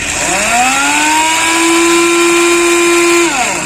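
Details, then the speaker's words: Hero Splendor Plus motorcycle, switched on in neutral: starter (self) motor gives a smooth electric whine but the engine doesn't crank; flywheel apparently not turning. Mechanic says it's not the usual failed one-way clutch sound; cause not yet confirmed. "देखिए, तो इसका जो self motor तो घूम रही है, लेकिन जो इसका फ्लाई व्हील है शायद वो नहीं घूम रहा।"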